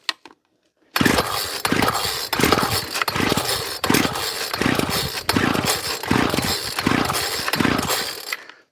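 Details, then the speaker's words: Ryobi Grass Scorpion RCT-2800 two-stroke line trimmer after fuel line and primer bulb replacement: pull-start on choke gives short uneven bursts that die away; hard starting while fuel flushes muck through a possibly gummed carburetor, jets untouched. "starting to go we'll just persist for a little bit because with all this going through the car it will actually be cleaning out some of the muck"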